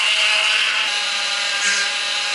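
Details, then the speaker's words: Ford BA Falcon power steering pump after a line replacement and system bleed, with the wheel turned lock to lock: a harsh, high, gritty whine with a frothy edge as the pump sucks air and cavitates, with bubbles in the reservoir. "i really hope it stops making that noise in a hurry hopefully it's just air cavitating so let's uh chop this back up that's a horrible sound feel the bubbles give it a turn"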